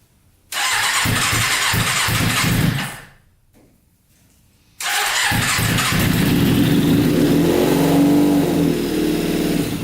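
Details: Custom Yamaha Banshee with 600cc sport bike engine swap, not run in a while, no tank fitted, choke on after freeing a leaking carburetor float: catches and revs about two seconds, fades out, restarts and runs on; stalling from fuel starvation.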